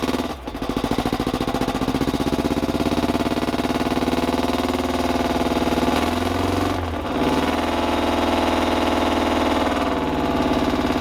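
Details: 1986 Porsche 944, seldom run since 2006, very weak battery, started with starting fluid, aftermarket stainless exhaust: catches and keeps running with a rough, uneven beat and raspy exhaust, stumbling after years sitting.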